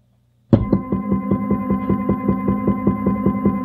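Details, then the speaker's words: Stepper motor on a step-and-direction drive controlled by a Pico, run at full speed with no acceleration or deceleration: even hum with a sharp knock about two and a half times a second, once per revolution, as the motor jerks. "you hear that knocking on every Revolution [Laughter] you'll hear the motor jerk because there is no acceleration or deceleration that should be factored factored into your programs"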